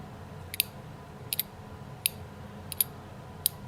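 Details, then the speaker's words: Carburetor from a Tecumseh H60 engine on a 1972 Hahn Eclipse snow blower, cleaned, stuck slug by long low-speed needle freed with torch heat and quench, shaken by hand: sharp metallic clicks, about five in four seconds; slug now rattles freely. "These old adjustable carburetors with this long low-speed needle right here. That long low-speed needle. They have that thing in there that needs to be free."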